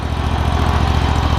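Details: John Deere ZTrak Z915E, Kohler Command CV742 25 hp V-twin, 341 hours, sat 2 years; after carb clean fixed the sticky backfire solenoid causing no fuel, and an oil change. Deep, steady, even idle thump, no misses; normal idle.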